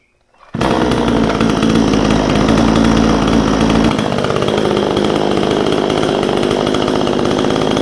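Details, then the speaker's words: Vevor 62cc chainsaw, warmed up, after backing out the idle screw so the chain stops inching forward: steady, even idle at about 3,100 rpm with no surging or stumbling; idle speed properly set. "That's idling about 3,100. I'm going to take it down just a little bit more, but that's about right."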